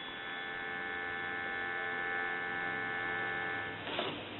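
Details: Western Electric wood wall crank telephone with an internal bell, on test with an analyzer: a steady, even dial tone with no crackle or dropouts until a brief handling noise near the end; a normal, clean dial tone.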